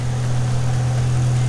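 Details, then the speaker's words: Nissan 180SX SR20 on first start after turbo, 1000cc injector rail and fuel pump install, running E85 at about 40 psi base fuel pressure, untuned: smooth, even low idle with no knocks or misses; running cleanly. "it's running E85 sitting around 40 PSI base pressure and yeah it's running really smoothly so obviously it needs to go off and get tuned now"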